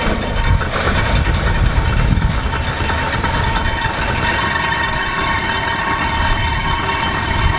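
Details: Dodge Aspen, about 90,000 miles, first drive after 17 years abandoned; rough, busy idle with an uneven rattle over it, caused by the cooling fan rubbing against a fuel line, since cleared.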